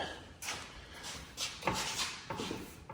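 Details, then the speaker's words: 2011 Ford Mustang front end: a handful of sharp knocks over three seconds as the front moves; clunking over bumps blamed on worn front struts, due for replacement along with bad sway bar end links. "There it is, clunking. But I'll make it work even more when I drive it in and out of the car, out of the shop here in a minute. But we're going to replace the struts, and because they seem to be making noises when you go over bumps."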